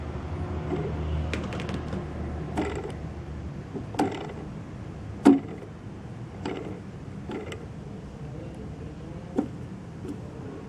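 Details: Turnigy Multistar V2 2206-2150KV "Baby Beast" motor, one of four that came with very bad bearings: rough, gritty creaking with irregular clicks and scrapes as it turns; worn motor bearings.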